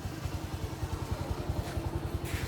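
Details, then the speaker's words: 2020 Bajaj Boxer X150 single-cylinder after replacing a worn piston that rubbed the cylinder walls, plus new plug and gasket kit: even steady putter at idle, no knocking, healthy. "the idling is okay which means the firing order is great as well"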